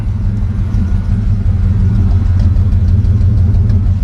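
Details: Holden VL with the original non-turbo six-cylinder, five-speed manual, nearly 300,000 km, black exhaust soot, noisy extractors: idles with an uneven, stumbling rumble, a misfire of cause still being diagnosed.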